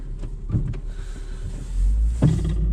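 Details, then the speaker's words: Renault Clio on a test drive: two heavy clunks over low road rumble, with a lot of play in the steering; a broken front spring is suspected, not confirmed. "yeah that's Str it's definitely broken spring on there yeah a lot of play in the steering yeah you can hear that strs clinging and banging"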